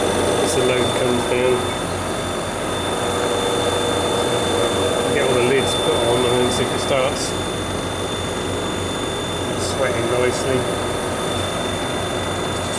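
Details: Prestcold 1/2 HP compressor on a 90-gallon Fullwood milk tank, after a no-start: steady low drone and thin whine, runs evenly; suspected bad start-relay connection (contacts cleaned) or loose/broken wires, old capacitor wires replaced, running fine since.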